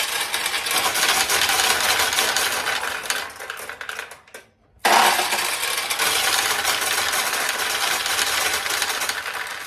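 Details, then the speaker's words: 1969 Nishijin Model A pachinko, restored single-shot conversion with tray feed and front overflow: about 500 balls dumped in, dense metallic rattle pouring down the track, brief pause, steady clatter again as they fill the track and stop; normal feed. "So what should happen is they exit, go down, and start to fill this track, and they come right to here and they stop."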